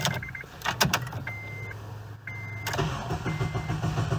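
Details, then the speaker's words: 2009 Acura RDX (pink edition) cranks normally but won't start, chime between cranks, green security/key light flashing; no immobilizer codes but past immobilizer failure events logged after backwards jump blew main fuse. Immobilizer blocking start, caused by bedazzled ring around ignition switch; removing it fixed. "cranks fine but won't start now we mobilize our codes but the right patches but the security light flashes"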